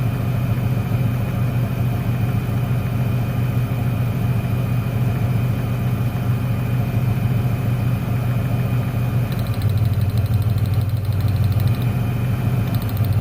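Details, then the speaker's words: 1996 Ford Ranger 3.0 V6 lacking power: uneven, lumpy idle with a low stumble; pulling each plug lead changes the idle except the last one, which shows that cylinder is dead; misfire. "el problema está en el último al desconectarlo no se nota ningún cambio en el motor"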